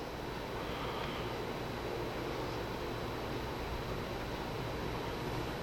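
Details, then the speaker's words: New smaller-motor ceiling fan in a wood-stove-heated workshop, same diameter as the old one, blowing down: steady even rush of air with low smooth hum, no ticking or wobble; normal operation. "It's a smaller motor than the other one, but it's still the same diameter fan."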